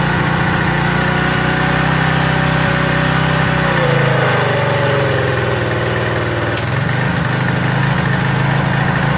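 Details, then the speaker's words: Craftsman 2700 PSI pressure washer with Briggs & Stratton 275cc OHV on a water test: a steady drone sags for a few seconds, then recovers. The faulty pump unloader is loading the engine; the carb jet was possibly taken too far. "okay the young loader isn't really working that's what you're seeing that's what you hear you hear it really loading down we may have gone a little bit too far on the jet too"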